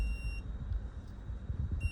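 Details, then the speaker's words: 2009 Zero X electric dirt bike, battery management system alarm: two high steady beeps over a low rumble. The cause was a disconnected 13S cell sense lead, found dangling inside the battery pack. "Something may have gotten disconnected or maybe one of the BMS connectors."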